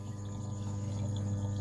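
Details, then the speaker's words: SunSun HW-603B aquarium canister filter (6 W, 400 L/H), recorded close up: a steady low hum with a faint water hiss and no rattle or surging, running quietly and normally. "Máy đang hoạt động mình đang để gần cho các bạn nghe cái tiếng ồn luôn nha Nói chung nó cũng kêu mà nó kêu nhỏ nhỏ các bạn"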